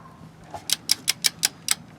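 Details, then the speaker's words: New Tekton 24335 1/2-inch drive click torque wrench (10–150 ft-lb) tightening a hand-threaded fastener: six crisp clicks in about a second in a quiet room, showing normal break-over at the set torque. "See, when you hear that click, I don't know if you heard it, that means it's at the right torque."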